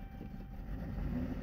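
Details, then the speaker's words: Chrysler 300 (about 2015), push-button no-start, after throttle body cleaner sprayed into the intake: catches and runs roughly for a second then dies, pointing to fuel supply; fuel pump possible, check 12 V and ground. "only run for a second yeah it dies now does that mean you need a fuel pump perhaps guys you need to check that"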